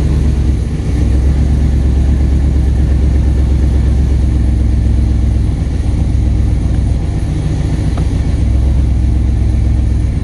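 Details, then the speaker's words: First start with base tune, on a hoist, two exhaust clamps missing: loud deep rumble with loose, uneven tapping; torque converter bolt hitting plus leaking exhaust manifold, fixed by changing the bolt and a new header gasket. "Manifold leaking, that's nice. Sounds like torque converter bolt hitting."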